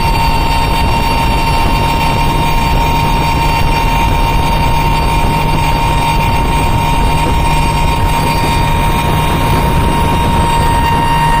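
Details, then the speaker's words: Mercury Verado 350 outboard running wide open under load with the top cowling off, a loud steady high whine over an even engine roar; normal, healthy supercharger whine, louder without the cover's isolation. "they are definitely loud when they're running wide open without that top cover it makes a big difference how much isolation that that cover makes"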